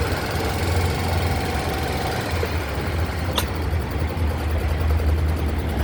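Low, steady idle with an even beat and no ticking or knocking coming through; the scooter engine sounds normal.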